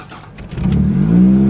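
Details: Ford Probe, 114,646 miles, bought without transmission, cold start: brief cranking, fires within a second and settles to a smooth steady idle; clean, healthy start.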